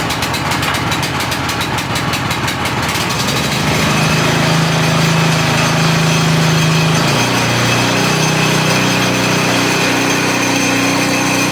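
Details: Used Craftsman rototiller after a repair with no replacement parts, choke on, a little throttle. It catches after a few seconds, then settles into a steady, even single-cylinder putter with no misses or knocks. It runs healthy.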